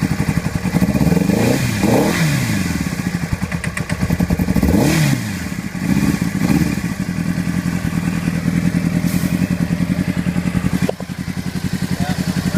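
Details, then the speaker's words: Honda CBR600RR with one cylinder misfiring, faulty header identified. Uneven, stumbling beat with irregular pops and thuds; revs sag and it struggles to keep running, then stalls. "Alright guys, this is what I mean by it's misfiring. That's the sound I'm getting from it. And I found out which header it is."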